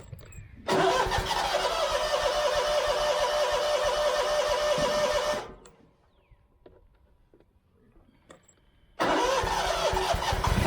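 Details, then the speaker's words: Scag mower with Kawasaki FX691V after carburetor replacement and refueling: fires instantly, clean steady drone without the earlier popping or backfiring, restarts smoothly; running normally, empty tank believed the problem. "Better. Sounds a lot better. That's hot yet. Working better. I believe that was our problem there."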